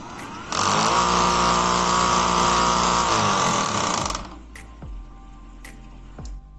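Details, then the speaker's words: Tilting garage-gate motor, removed from the gate for bench testing: a harsh buzzing rattle over the motor hum, only in the down direction; suspected play in the bearing or its housing, not confirmed. "Ó, pessoal, ele está fazendo o barulho só na hora que desce, tá?"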